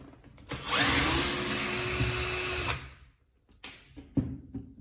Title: How to Repair a Jet Stone Making a Rattling Sound? Catpower 6120